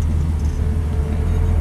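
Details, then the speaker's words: 1950 Ford F1 sedan/panel delivery resto mod, 350 V8 with 350 transmission, started and idling: deep smooth even rumble, barely audible, no ticks or misses; oil pressure about 60, battery just over 13 volts; normal idle. "we're going to fire it up starts right up you can barely hear this thing run you can tell it's a v8 though"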